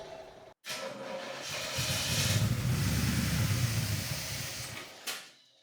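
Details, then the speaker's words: 1984 Corvette C4 with Crossfire Injection, parked over 20 years, run on fuel poured down the intake: cranks, catches and runs a few seconds with a steady mid-pitch rumble, then dies; no crazy noises heard. "It runs. I don't hear anything crazy. I think it's okay."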